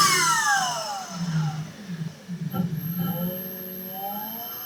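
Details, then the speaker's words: Volvo-engined car, newly fitted cheap eBay electric-driven hydraulic power steering pump replacing the mechanical pump, test on small battery: droning whine sagging, wavering, climbing unevenly; pump works but battery can't sustain it, owner hopes battery not pump. "I'm not sure that's right. Sounds like an aeroplane. Alright, I think it does actually work, except that that battery is obviously not man enough to keep that going full time."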